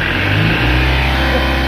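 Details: Mahindra Maxximo diesel with low pickup, DTC P0193 and P0118, after fixing and clearing codes: engine picks up smoothly under throttle, pitch rising evenly without hesitation; revs fine.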